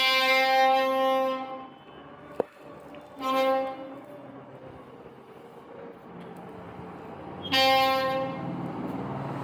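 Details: Royal Enfield Classic 350 Reborn, rear wheel turning: loud high-pitched ringing squeal in bursts from the rear brake; technicians failed to fix it, cause unclear.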